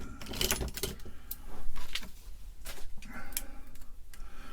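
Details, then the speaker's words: Atari 1050 floppy drive, shipped with the head protector in, at initial teardown inspection: irregular light clicks and rattles in bursts each time the unit is tipped, from something loose inside the case, hopefully something that fell in through the vents. "We've got something rattling around in the case. Hopefully it's just something that fell in through the vents."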